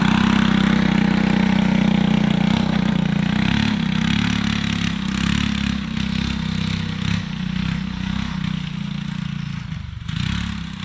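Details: Alcohol-fuelled 212 single-cylinder go-kart engine, started after about 3 months stored without draining fuel: fires up and settles into steady, even idle with no misses or knocks; running healthy.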